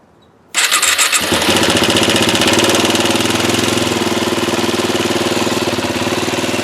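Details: Yamaha WR250R single with 26,000 km, swamped in spring (airbox not drained, several oil changes after), later began using oil; fast loose metallic top-end rattle over the idle beat, cause unconfirmed; top end being torn down.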